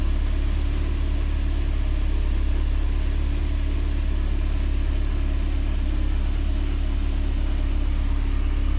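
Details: Mercedes 190E (W201) with prior cold-start trouble, after cleaning the cold start valve connector contacts, started cold after a night at 26°C ambient: low, smooth steady rumble at one even speed, no misses or ticks; normal idle.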